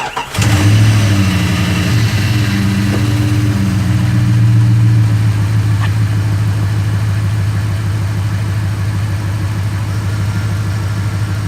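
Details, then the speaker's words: 1998 Jeep Grand Cherokee 5.9 Magnum V8 after a water pump replacement, started with the radiator cap off to bleed air. It cranks, catches cleanly, revs up with a deep steady rumble and settles back to an even, healthy idle. "now you got to understand a 5.9 magnum sounds like a hammy pretty much isn't hammy except it's not hemispherical heads"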